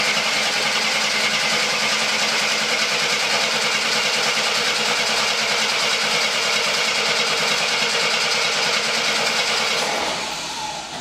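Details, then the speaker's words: 1972 Jeep Commando that sat outside since 2012, on a first start attempt with the oil pressure unknown: the starter spins the engine at an even, quick rhythm for ten seconds and it never fires. The coil has voltage. "all right nothing there so next i'm gonna check make sure i have voltage at the coil so just tested the voltage the coil is getting voltage i'm not sure if we're getting sparky though"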